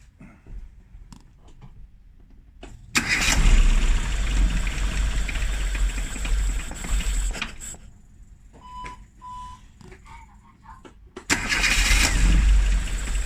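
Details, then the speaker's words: Classic Rover Mini (Riley Elf) with points ignition, sat about three months, coldest day of the year: two bursts of starter churning with a faint engine beat that never catches. Hard start; points later polished with 2000-grit paper. "今日はまた今年最高の冷えぐらいだったので、まあなかなかね、先ほどご覧のようにエンジンがなかなかかからなかったので、まあでもやっとかかってですね"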